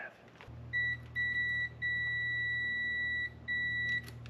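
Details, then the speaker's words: 1966 Mercedes 230SL, stored 40 years: after disconnecting a lead, the tester on the ignition points circuit still beeps high and clear in long stretches; still shorted, where a bolt passes through the distributor body missing its insulating sleeve. "Still shorted. Just goes to show how dry an environment this thing actually was stored in."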